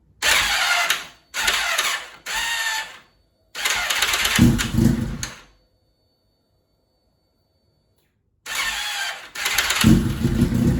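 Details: K1 2001 Suzuki GSX-R1000 after a clutch pack replacement, fully charged battery, hot or cold; the starter gives short one-second bursts of whirring and sometimes screams without turning the engine over, as if bound up. The idle gear was reassembled with no change.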